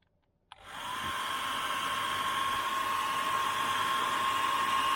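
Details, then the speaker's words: Hair dryer on position 1 powered by AFERIY P010 800 W 512 Wh portable power station, drawing about 606 W: clicks on and spins up to a steady airy whoosh with faint constant whine, no surging or cutting out; normal running on low setting. "you can see on position 1 it runs it okay. It's pulling about 606 watts and it says it'll run that for 34 minutes."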